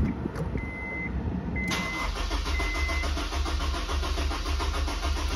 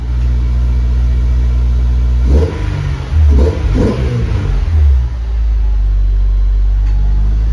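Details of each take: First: Supercharged Honda S2000 AP1 with the 15 A fuel pump fuse pulled before an injector install: the engine idles with a steady low thrum on the fuel left in the rail until it starves and stalls. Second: Honda S2000 AP1 with Science of Speed supercharger, Link PnP ECU, Walbro 255 pump, RC 750 injectors, first start after fuel system install: catches promptly, blips up and drops back twice, then steady deep idle; normal start and run.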